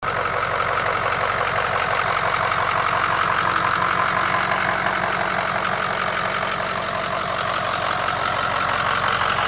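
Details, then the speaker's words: 2005 Ford Excursion 6.0 diesel, 148,000 miles, partially bulletproofed with EGR delete, SCT tuner and blue spring/fuel regulator kit: steady, even diesel clatter at idle with no misses or knocks, running great. "This is one of the good ones. It's running great. You can hear it."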